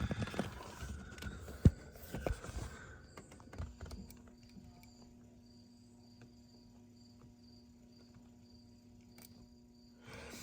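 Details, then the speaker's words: 1999 Ford F250 Super Duty gas truck that quit while driving: with power run directly to the pump's red wire, the fuel pump gives a faint steady low hum with a soft high whine; it runs normally, pointing to a failed fuel pump relay in the fuse box. "All right, now that we've put power to the red wire, we can hear that fuel pump coming on."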